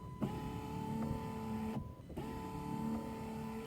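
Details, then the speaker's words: Jeep Wrangler JK wiper assembly after replacement, which had stopped working in very cold weather: smooth, even motor whir at steady pitch with brief pause at each park point, much quieter; normal wiper motor operation. "so much quieter yeah that sounds much better"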